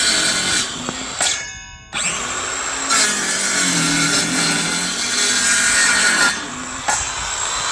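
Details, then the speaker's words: Parkside 20V cordless circular saw (PHKSA 20-Li A2 or C4) on 2Ah battery cutting timber: high whirring spin-up, then even rasp holding speed without bogging; normal cutting. "Both performed exceptionally well, cutting that bit of timber. The newer one that you saw was the second clip. It seemed to have more power."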